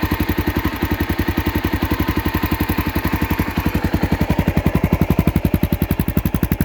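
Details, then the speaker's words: Honda XR650L single, after an adventure build, at idle in neutral: quick even thumping, steady with no misses or knocks, not very loud; normal idle. "It's actually not that loud ei"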